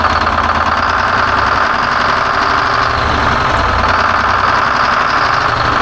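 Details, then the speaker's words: 1970 Peterbilt 341 with Detroit Diesel 6V71 two-stroke, still blown up after the drive home: loud, harsh idle with heavy rattle over an uneven low pulse, rough and knocky, badly worn; dash rewired and oil pressure leak fixed, engine still junk. "Truck is still junk, at least motor-wise."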